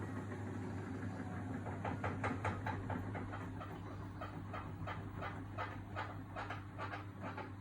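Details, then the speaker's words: Samsung WW80TA046AX/EU 8 kg washing machine with a 7-item load: irregular scraping ticks about twice a second over a low hum as the drum turns, with wobbling and squeaking, like metal running across the drum. "So it made all the wobbling noises, it made all the squeaking noises, it made like the metal running across the drum as it goes."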